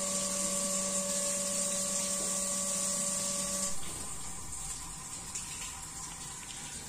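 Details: Hitachi CT-P250F jet water pump, over 25 years in automatic service, after replacing the air charger assy: steady, clean motor hum with water hiss, then the note drops away as it stops; still running very smoothly.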